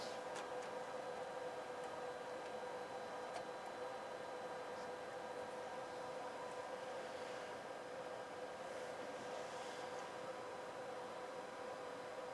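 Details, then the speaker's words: NAD 2140 power amplifier on a 1 kHz test tone with SLC on: thin steady high whine over faint hiss, suspected to come from the transformers, source unconfirmed. "you can hear that thousand Hertz wine coming out of the Transformers or somewhere here"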